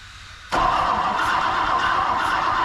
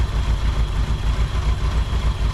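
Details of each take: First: 1959 Ford Thunderbird 352 V8 parked 33 years, points just gapped at 0.016 in: steady starter cranking about four turns a second, no firing; no spark despite good ground, cause unknown, owner plans 12-volt feed to coil. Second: 1959 Ford Thunderbird 352 V8 after 33 years parked, started right up with carburetor needing cleaning and rebuild, accelerator pump suspected dead: deep, steady, slightly lumpy but even idle, no knocks.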